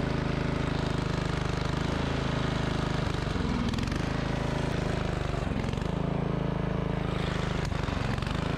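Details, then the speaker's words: MTD Yard Machines 638 RL riding mower with a starts-then-dies problem, first start after sitting about four hours: steady single-cylinder drone that sags and recovers every couple of seconds, surging at startup; owner suspects a dirty air filter. "जब यह पहली बार शुरू हुआ और यह इस तरह बढ़ने लगा तो मैंने सोचा फिर से शंख बजाने जा रहा था कि यह शुरुआत में क्या कर रहा था"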